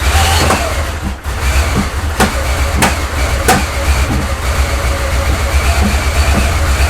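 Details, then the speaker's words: Porsche 928 after rebuild, just after rotating the distributor: better but still uneven, lumpy idle with a faint steady whirr. Air pump whine, suspected to come from the gutted air pump. "obviously it's still very uneven and there's like weird whirring noise which I think is coming from my gutted um air pump so that's one of the other issues I need to look at"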